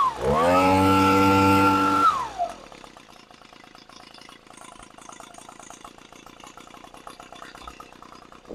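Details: Echo PB-250 leaf blower after a Zama carb rebuild, fuel line and fuel leak repair and carb adjustment: clean, steady high-pitched buzz at full throttle for about two seconds with no stumbling, then it shuts off; running properly now.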